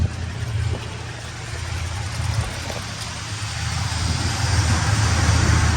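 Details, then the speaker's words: 1972 Buick Skylark warming up after the carb was primed with gas: deep, steady low rumble with an even beat around three per second and no misses or knocks; a healthy idle. "Well, she sounds pretty good, nice and healthy."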